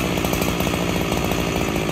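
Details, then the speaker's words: Freshly rebuilt Husqvarna 365SP chainsaw, still breaking in, original cylinder and piston, in dry oak: burbly, uneven four-stroking at low speed; running too rich on the low end after idling and near stalling. "Before, after a while of idling, she was just still too fat on that low end."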